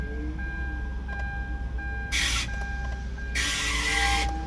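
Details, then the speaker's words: 2007–2009 Hyundai Santa Fe idling with steady high squeal and harsh screeches: key sticks in crank position so starter hits flywheel; fix is new ignition switch/assembly. "like that if you are hearing that sound sorry for saying it but you need a new ignition switch or new ignition assembly"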